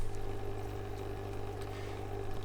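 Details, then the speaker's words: Eheim Classic 600 external canister filter after fixing a rattle by lubricating the impeller: steady low electric hum with a faint tone above it, no rattle, normal canister filter sound. "still makes some sound you can hear that there is some sound but this is a normal hime classic sound so it doesn't rattle anymore"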